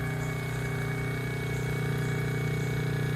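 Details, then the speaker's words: Pressure washing trailer chemical pump, primed, bleach at 6 and all three valves feeding about 200 ft of hose: steady low hum with an even pulse about four times a second, no surging; running better and smoothly. "hear the pump's running better because you're feeding it with all 3 valves."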